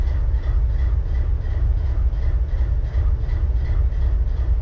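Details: BNSF 4583 locomotive diesel with a deep, heavy idle rumble and a lumpy, uneven pulse: misfire at idle.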